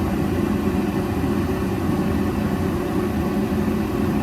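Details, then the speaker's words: Old Rheem condensing gas furnace, no-heat call traced to failed OEM hot surface ignitor; after replacing it, ignitor glows, gas valve opens and burners light with a steady, even low roar, no pops or flutter: normal burner operation. "Should hear the gas valve. There's the gas valve. It should have gas. And we do we have gas."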